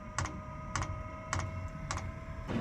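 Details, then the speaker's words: Webasto Air Top 2000 STC 12V gasoline heater in an E-350 Econoline camper van, first bench test on a temporary battery before final mounting: sharp regular fuel dosing pump ticks about every 0.6 s over a low hum at startup, normal; no leaks found. "So you can hear the fuel pump."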